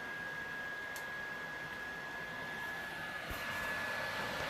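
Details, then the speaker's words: PlayStation 4 Pro before cleaning, fan kicking in as game loads: steady airy rushing swelling louder after seconds, no ticking or grinding; fan far too loud. "you can hear how loud it gets it gets even louder"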